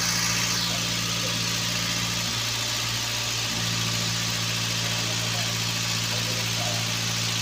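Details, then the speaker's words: Toyota Avanza petrol engine idling, owner reports high fuel use, fuel smell, shaking and lack of power: uneven lumpy idle stumbling every few turns, one cylinder dropping out; ignition suspected weak or dead. "Oke seperti ini suaranya sobat ya Jadi bisa kemungkinan ini ada dari pengapian yang kurang setrum atau pengapian yang sudah mati"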